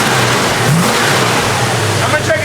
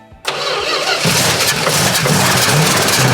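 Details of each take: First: 1970 Plymouth Duster 340 V8, run again after 30 years off the road, idle being set after an oil change: strong, even revving with a clean rise and fall; the earlier lifter tick is gone, likely a stuck lifter now pumped up. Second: 1970 Plymouth Duster 340 first start after 30 years sitting, fuel pump function unknown: loud cranking catches and roars briefly on brake cleaner, then falters and fades, not yet drawing fuel from the tank; cranking, no fuel pickup.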